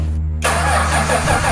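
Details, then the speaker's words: Rebuilt Australian roo-hunting ute made from two utes, crank after fault-finding and a jiggle under the dash: steady rhythmic cranking with no catch or firing; cranks but won't start, cause not confirmed. "Ready, set, crank. Nice. Jesus. Nah. Yep. Nope. Nothing."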